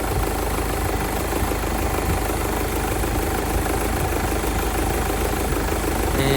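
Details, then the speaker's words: 2016 Mercedes B200d W246 diesel, just started after replacing the micro-V belt and noisy, loose idler pulley: even diesel clatter at steady idle, no belt squeal, chirp or rattle; much better than the horrible sound before, normal idle. "that already sounds much better because this car was sounding really horrible"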